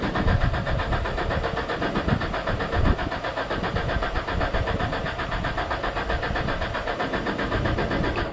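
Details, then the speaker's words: 2001 Genie S60 boom lift with crank-no-start complaint: steady cranking over eight seconds with even chugging that never catches; no fuel pump sound when bumping the starter, no power at the pump's power side, traced to a failed fuel pump relay. "you guys can see it's a crank no start you know so that's the customer complaint uh it won't start when you turn the key on on these especially when you bump the starter usually you can hear the fuel you know the fuel pump turn on"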